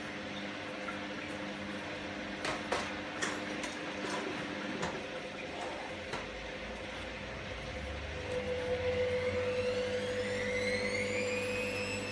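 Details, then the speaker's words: Candy GVS169D3/1-80 Grand O Vita 9kg washer, empty drum, after triac replacement fixing error E09: spin speed coming up, motor whine climbing smoothly in pitch, no knocks or grinding; healthy spin ramp-up. "it's moving through its cycle yeah there's the spin speed coming up"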